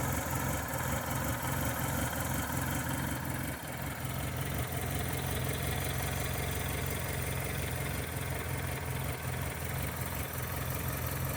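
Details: 1996 Toyota Corolla petrol engine rough idle, low uneven pulsing about three beats a second instead of smooth hum; owner unsure whether misfire, belt or manifold issue.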